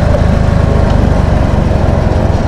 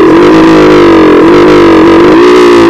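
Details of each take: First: Motorcycle (CT 100) that had been cutting out and running rough despite replaced parts, after carburetor work: small single-cylinder engine with quick, even, steady pulses and no stumbles; problem solved, normal idle. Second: CT 100 motorcycle: a small single-cylinder engine whose note sags and stumbles every second or so before recovering. It keeps cutting out and misfiring even though the carburetor was cleaned and the ignition coil replaced.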